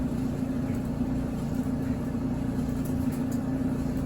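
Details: GE front-load dryer temporarily fixed pending a drum support kit: steady low rumble with a faint even hum, no scraping or thumping, drum turning smoothly on its glides.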